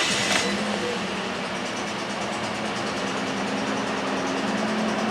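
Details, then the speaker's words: 2009 Toyota Corolla 1.8L petrol engine idling with an uneven tap-tap stumble, shaking with check engine light on, RPM dropping in Drive and fuel smell; misfire from bad engine compression. "You can hear in the video the engine sound like tap tap tap tap tap tap tap tap tap tap tap tap. That's not bad, that's not good at al"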